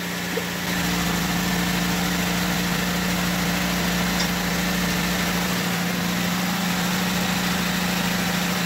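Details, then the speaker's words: Honda del Sol started with a newly wired push-button starter switch, after new ground wires, a radiator fan swap and a distributor cap change: quiet, steady, even idle with no squeal, ticking or roughness; runs healthy. "Did that turn on? Yeah. Can't even hear it. I know."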